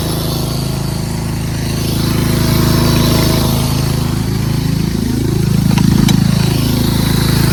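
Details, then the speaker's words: Craftsman 13.5HP 30-inch rear-engine riding mower, safety switches bypassed, after valve lash adjustment: single-cylinder engine with a buzzy metallic rattle that rises and falls with revs. A loose clip is vibrating and still rattles despite tape. "That annoying noise is this clip over here. Put some tape on it, but it still makes some vibrating noise."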